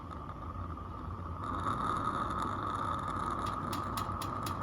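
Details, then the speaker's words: Accucraft Ruby 5 live-steam locomotive, butane burner lit after failed tries while cold: hiss swells into a steady, even roar with a clear high note; burner caught and burning normally. "It's a little cold. There we go. There she roars."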